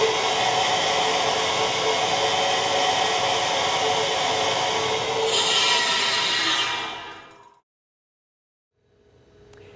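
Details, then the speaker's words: Control valve with Cavitrol III two-stage trim at about 1500 psi inlet, 150 psi outlet: steady even high-pitched flow hiss with no cavitation crackle, far quieter than standard trim, then cut off. "you could hear the cabot trail 3 two-stage product greatly reduce the amount of noise and vibration coming from the trim"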